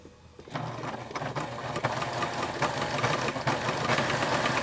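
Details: Pfaff sewing machine bought around 1989–1990, about 26 years old, previously serviced after it locked up. Quick, even stitching rhythm with a thin squeak over each stroke. Sewing machine squeak.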